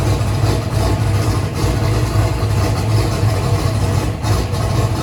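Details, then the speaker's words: 2500hp turbocharged 427ci small-block Ford race engine at first start-up, restarted after a spark plug wire issue was found: deep, lumpy burble at idle firing evenly with no skips or clatter; normal idle. "oh hey so thing is good all right i think she's good"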